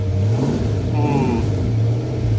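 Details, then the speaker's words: Hot rod V8 at Power Tour, started with pedal held down after over-fueling and flooding: throaty, uneven idle and revs, lumpy low rumble with slight stumble; running rich, owner suspects a cheap fuel regulator. "Okay, now that we flooded it out, let's hold down the pedal and crank it over and hope it doesn't catch on fire. Well, it's running."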